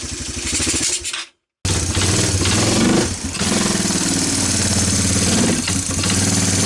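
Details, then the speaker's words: Four-wheeler that sat for years, carburetor refitted with a plug and fresh gas, burning oil. Uneven, choppy single-cylinder beat that stumbles and wavers; runs rough and needs tuning. "as you can tell this thing isn't quite running right so we're gonna end this video here"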